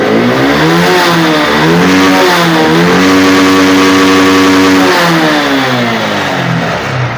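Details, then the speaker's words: Honda X-Blade motorcycle after replacing a poor-quality local air filter with an original Honda filter: clean blips rise and fall smoothly, holding high revs without stumbling; low pickup fixed; normal revving. "தெரியும் சூப்பரா racing ஆகுது இந்த just ஒரு air filter local போடுறதுனால இவ்வளவு problem வந்திருக்கு"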